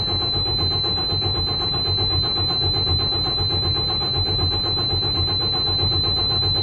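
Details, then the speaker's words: Detroit DD15 diesel truck with engine knock, excessive regens and fuel draining back to the tank overnight; after finding a corroded fuse, steady starter cranking about one pulse a second but it never fires, likely fuel not primed; crank no-start. "You need to start for me right now. Not happening."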